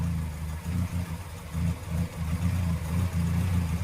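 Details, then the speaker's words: Morris Minor after carb rebuild and new plugs, nearly warm at idle; low uneven idle with an irregular stumble every second or so; number 2 cylinder slightly missing, owner suspects plug leads. Slight misfire at idle. "Number 2's just got a slight miss on it, but I put new plugs in, but I'm not going to further, so I haven't been instructed to so."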